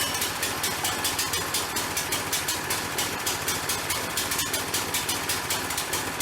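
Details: Harbor Freight log splitter with newly replaced small single-cylinder engine (old one killed by flooding), first start after fresh oil and gas: quick, even, steady beat, no misses or knocks; running normally.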